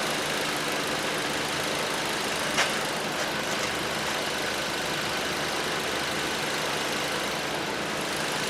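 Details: 2012 Ford Transit Connect that would not run after the customer replaced the harmonic balancer and the keyless crank lost timing; after retiming, steady, even, smooth idle with no knocking or stumbling.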